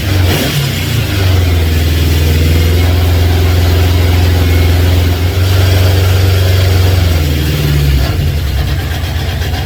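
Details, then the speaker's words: Honda CB750 K2 four-cylinder on a remote fuel tank before carb balance: revs up and holds, then stumbles and sags as a cylinder drops off; two of four cylinders not firing, ignition ruled out, fuel-starved carburettors dropping a cylinder. "Wait for it. I felt a cylinder drop off. Alan's going to be watching this video going, just turn it off, Andy. It sounds horrible. It does."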